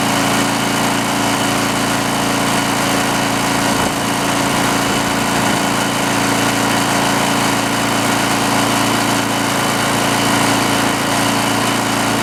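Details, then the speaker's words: Greenlee 5000-watt generator bought for five dollars, missing its air breather, runs with an even, steady buzzing drone and no surging while powering a drill; normal running under load. "well it's hard to argue with them results run both not even notice it won't so yeah pretty happy with that"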